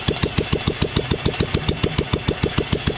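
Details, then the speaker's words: 1997 Royal Enfield Bullet (old model, CI engine), first start after full engine rebuild, no silencer fitted yet: even, steady single-cylinder thumping at lowered idle rpm, no knock or tapping; runs clean and healthy, oil reaching the top properly. "लेकिन ये engine first time start हो गया पूरा बनने के बाद। अब ये कर दिया अंकल ने आरपीएम लो।"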